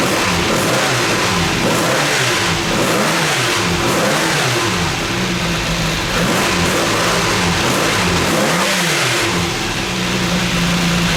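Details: Classic Mini Gulf track car after the oil cooler install, throttle now fully open: the small four-cylinder is revved up and down repeatedly and pulls clean and even with no knocks; healthy engine.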